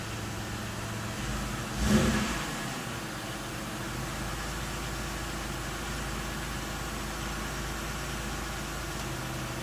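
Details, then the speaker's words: 1999 Pontiac Grand Am 3.4 L V6 after a fuel pressure regulator was replaced to cure a rough, stuttering low idle: one quick rev, then a steady, even idle with no stumble. It seems to run much smoother, normal idle. "seem to be running a lot smoother yeah all righty so that might have fixed my rough idle problem"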